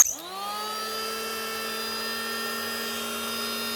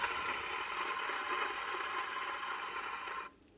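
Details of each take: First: Hitachi P20SF electric planer (2013) after replacing bearings and cable: smooth, steady high hum with clean even tone, no rattle or vibration, then a clean spin-down. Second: Hitachi/Hikoki P20SF electric planer during teardown: dry gritty rasp as the drum spins by hand, then stops; two drum bearings are worn out, others also worn, all being replaced.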